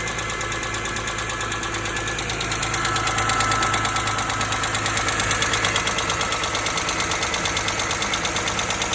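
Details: 2005 BMW E46 M3 engine, recently bought; ticking began the day after a hard long drive; fast light top-end tick about three per second over steady idle. One mechanic blames a pitted exhaust-side rocker arm, another rod bearings; unconfirmed.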